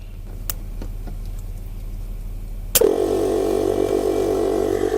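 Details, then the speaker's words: 1998 Blazer air ride, newly wired air compressor: quiet, then sudden start into steady fast electric motor buzz with rapid even pulsing as it fills the tank, expected about 2 minutes; running normally. "Shouldn't take it. That should take approximately 2 minutes to fill that tank."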